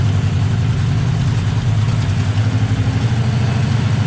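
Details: 2008 Ford Mustang GT V8 with a passenger-side misfire: a lumpy, uneven idle with periodic stumbles; the cause was unmetered air through a crack in the cold air intake, after new spark plugs and injectors did not fully cure it.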